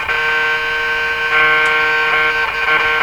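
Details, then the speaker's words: 1940s RCA Victor A23 AM/shortwave tube radio, first power up on reduced 92 volts: steady hoarse mid-pitched buzz at even loudness; unexplained buzzing noise in the audio output, not heard before. "I don't think I've ever heard that particularly noise"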